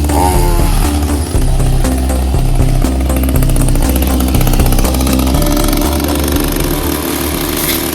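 Small two-stroke buzzing at working speed, rising and dipping slightly with the load, pulling cleanly without stumbles; sounds healthy.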